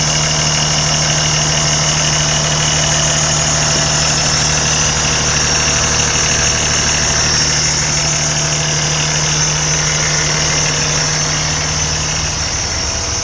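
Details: 2013 Kenworth T680 tractor in great shape, clean start: loud, even diesel idle with a steady low drone and quick regular clatter, no misses or heavy knocks; healthy normal idle.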